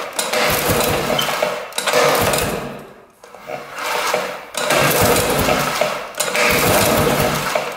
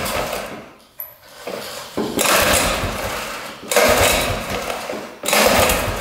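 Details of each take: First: 1960s Ski Daddler snowmobile, spark plug out and cylinder lubed: repeated pull-cord strokes about every 1.5 seconds, each a smooth even whirr, getting easier; engine turns over freely, not locked up, spark confirmed. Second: 1960s Ski Daddler snowmobile, two-stroke, gas poured into carburetor: raspy short ragged bursts that die back; runs only on hand-poured fuel, tank fuel not seen pumping, tank pickup line suspect.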